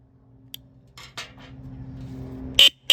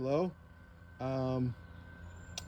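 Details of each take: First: 2021 Harley-Davidson Heritage stock horn after tone screw adjustment attempts: seven short honks with thin, high, buzzy tone lacking low body; horn still weak. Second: 2021 Harley-Davidson Heritage with generic low-tone aftermarket horn temporarily clipped to bike harness, dangling unmounted: two short deep steady buzzing blasts, a little louder than wanted; horn sounds right.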